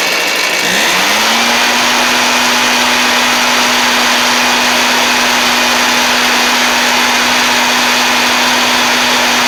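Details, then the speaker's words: Two-stroke blower after a Hipa carb kit; sat 6–8 months, a shop blamed low compression, but likely flooding or fuel starvation; started in about three pulls on choke: catches, climbs quickly, settles into a steady high buzz, no misfire; healthy. "But, I literally throw the choke on, pulled it about three times, and it fired right up."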